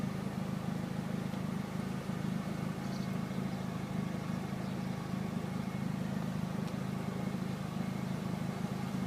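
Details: Chevrolet Aveo petrol engine idling with a quiet, even low rumble and no knocks, misses or surging. It had not started, with no ECU communication, no fuel pump and no spark; it runs normally after the ECU memory repair.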